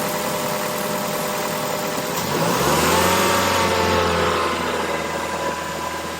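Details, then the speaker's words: 2011 Mazda 3 held at 2,500 rpm during alternator ripple and load test: revs climb smoothly and hold a steady, even drone; charging normal, alternator ruled out, battery suspected by elimination; engine sounds healthy. "Okay, charging normal, so we can pretty much rule out the alternator as the problem. The car seems to be charging normally."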